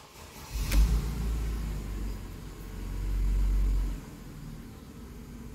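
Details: Mercedes-Benz with codes P0300, P2090, P0353, unstable engine, at start-up: low uneven idle with irregular stumble and surging rumble; misfire suspected, not confirmed.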